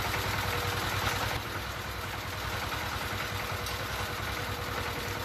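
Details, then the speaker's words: D15 S1100 single-cylinder diesel, after fixing the fuel line fault that caused heavy white smoke, uneven revs and hard starting: a steady, even thump at about 3.5 beats per second with no misses. It now idles cleanly with no smoke. "Nhưng Tít trường hợp mà chúng ta đã làm nó có đường nhiên liệu chuột thì dẫn đến là máy nó hoạt động rất ngon và không có khói nữa"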